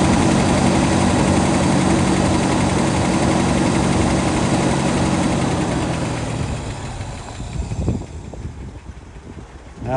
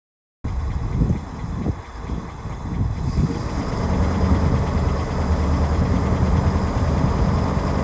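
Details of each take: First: 1967 Lincoln V8 idling cold just after start, exhaust leaks mostly fixed: lumpy uneven low rumble that wavers then dies away; rough idle. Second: 1967 Lincoln V8 at idle, heard at the tailpipes after exhaust leak repairs: deep even burble, no ticking or puffing from the pipework; much quieter, exhaust sounds sealed.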